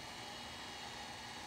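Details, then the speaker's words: DJI Phantom 4 sitting powered on while the remote updates firmware: quiet steady airy hum with faint even tones and a light click from the internal fan, normal at rest. "it is kind of uh loud when it's sitting here it's got a little bit of a engine noise kind of going on inside it which is"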